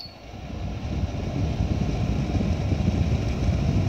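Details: Air purifier (Daikin or Ballu) running in a quiet room with other appliances off: steady rushing airflow building to an even, fairly loud whoosh, no ticks or rubbing; normal fan operation, just noisy.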